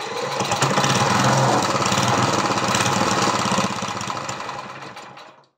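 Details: Briggs & Stratton vertical lawnmower engine converted to horizontal with an oil splasher; had no compression, valves lapped and adjusted to 60 psi, leaks oil: weak single-cylinder chugging at about three firings a second, then coasting to a stop; low compression.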